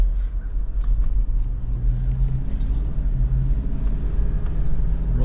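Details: 2014 GMC Terrain on a test drive after wheel bearing replacement: steady low road rumble with no growl or hum rising with speed; wheel bearing runs quiet.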